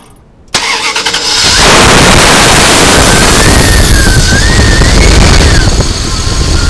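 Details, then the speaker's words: 2000 Dodge Durango 5.9L V8, after replacing the ignition coil on a no-start: short crank, starts on the first try and settles straight into a steady even idle with no stumble. Normal start and idle. "Okay, here we are. We started on the first try."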